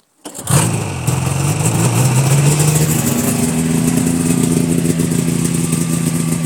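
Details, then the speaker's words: 2000 Yamaha Phazer 500 two-stroke snowmobile, cold start at about −16 to −17 °C after new pistons, top-end gasket kit and fuel lines: fires first try, brief rev, then even steady idle with no knocks or misses; healthy. "we're gonna do a cold start on it so really cool to its minus 17 or 16 so let's start it up"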